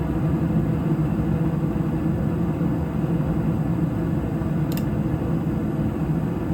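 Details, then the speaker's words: York furnace blower after a DIY blower motor replacement: a steady, even low rumble of moving air with no wobble or rattle. The new motor runs smooth and quiet and the whole unit no longer vibrates. "That is as quiet as ever has been. No more vibration. The whole unit's not vibrating."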